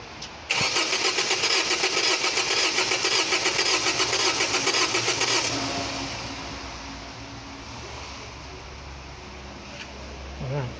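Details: 2003 Mazda 323 Astina that cranks but won't fire, during a relative compression test: starter cranks at a steady pulsing beat but one pulse each cycle comes up lighter, one cylinder having low compression.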